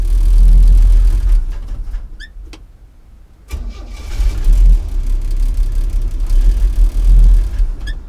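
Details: 1964 Chevy C10 with the 230 inline-six after start-up, with a rough, uneven idle that sags nearly to stalling then recovers; an engine misfire.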